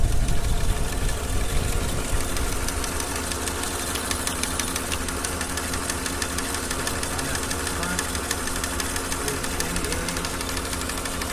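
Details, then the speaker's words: Chevy Tahoe 5.3 V8 bought new 3–4 years ago, ticking after cold start, idling: quick fairly even ticking about three a second, located with a microphone at the brake vacuum pump, not the lifters; worn vacuum pump per TSB, replace the pump. "Also, I used a microphone on a little telescopic antenna and put it down to the vacuum pump, and that's where you could hear the ticking noise coming from."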